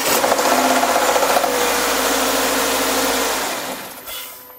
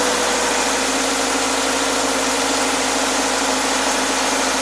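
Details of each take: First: Subaru Forester SJ with FB25 engine, recorded outside, on a cold start: quick, regular knocking about four times per second that eases off, while a restart seconds later runs perfectly; knock source unknown. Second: Subaru Forester SJ (4th gen, FB25 engine), recorded outside: second start a few seconds after a cold start that knocked. Quick, clean start into a smooth, even idle with no knocks, like a new car.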